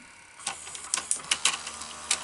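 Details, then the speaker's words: Sony SL-S600 Super Beta VCR during repair, after a capacitor swap (owner unsure of its polarity and used a 25 V part instead of 16 V): the cassette threads with light irregular clicks and no grinding or stalling. Normal cassette loading. "working like it's supposed to so that it is loading now"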